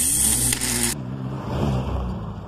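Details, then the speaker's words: Car cranking with a starter fault: the bendix likely doesn't return to its rest position and slips against the flywheel, which can wear or break the teeth on both. A brief harsh whirring zing, and the engine doesn't catch. "inicialmente si hace un patinamiento como éste es probable que cuando sale el bendix para mover el volante de inercia este no regrese a su posición original propiciando un patinamiento entre el volante y el bendix"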